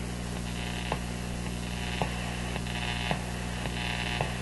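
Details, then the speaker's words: Electrohome PMU51-418 music box radio just after electrolytic capacitor replacement, tuned to the low end of the AM band: steady hum, a sharp tick about every second and a warbling tone, RF interference from a sleeping office computer elsewhere in the house. "I tracked that down to my office computer. It's on the other side of my house. My office computer is not switched on. It's in sleep mode, and it generates this powerful radio interference signal"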